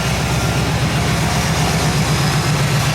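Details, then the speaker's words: Rebuilt, broken-in AMC 360 V8 (Summit 8600 cam, Edelbrock carb, HEI distributor) idles smoothly at 900 rpm with an even lope and no knocks. Oil pressure is 25 at idle versus below 10 before the rebuild. "That's a 900 RPM idle."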